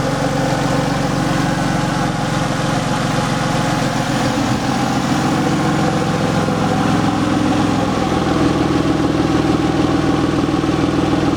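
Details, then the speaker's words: 2003 Porsche 911 (996) Carrera 4S at idle with the oil filler cap off: steady loud idle with a faint hiss and a slightly uneven beat, crankcase under vacuum; failed air-oil separator, about 1 litre of oil used in 230 miles. "You should hear the hissing. So that shows that the actual crankcase is there's a vacuum now."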